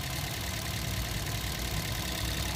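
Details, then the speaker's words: Toyota Vios 2nd gen petrol engine idling steadily at about 700 rpm with no skips, after replacing one of four ignition coils that had no spark and caused misfire and strong vibration. "ito tetestingin natin maganda naman yung kanyang RPM nasa 700 yung RPM niya"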